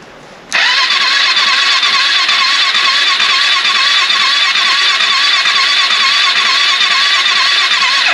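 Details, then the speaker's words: AJP PR7 motorcycle's first start after an engine-damage rebuild: a steady, sluggish starter drone for about eight seconds without catching; cranking too slowly because the battery is too weak. "die Batterie klingtind schwach muss ich ehrlich sagen die Batterie ist zu schwach mehr Power ich weiß nicht ob es ausreicht aber"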